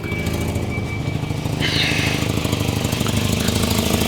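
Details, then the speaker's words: 1984 Volvo 245 parts car, 91,000 miles, at idle: sharp puffing tick on each exhaust pulse from a bad exhaust leak; owner suspects another leak in the muffler too. "That's how bad that exhaust leak is. Sounds like there's another one in the muffler too."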